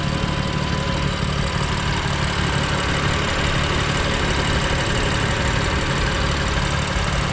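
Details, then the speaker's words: 2020 BMW F82 M4 with a camshaft bolt knocking from the exhaust side of the engine: steady idle with the hood open, rattling gone, only a light even injector tick remains. "Yeah. So, no more No more rattling. It's just that sound from the fuel injectors."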